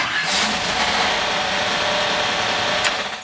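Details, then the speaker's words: GM small/large block V8 just after fitting a Summit Hi-Torque SUM-829105 starter rotated away from the header; on start a harsh metallic scraping rattle over the engine, the flex plate rubbing a bent dust cover, not the pinion. "whoa that's power there what's that noise though I think it might be the flywheel hitting that uh"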